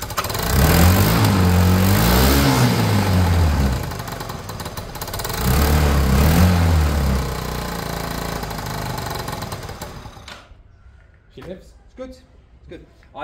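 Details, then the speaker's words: Peugeot Tweet 125cc scooter after new top end: revs up and back with a loud raw puffing blow following the throttle; exhaust pipe and EGR recirculation flange not yet connected or bolted, so leaking from there; possible gasket blow to check after sealing. "we were even hearing an exhaust blow there but look we haven't got this two connected we haven't got that bolted up the EGR with circulation F so we're going to be hearing the engine from there"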